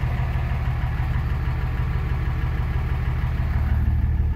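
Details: 2006 Dodge Ram 2500 Cummins diesel with 48RE automatic, in gear on the brake with no throttle: deep, heavy drone as the engine lugs down, smoking black, EGTs near 800; something let go in the transmission.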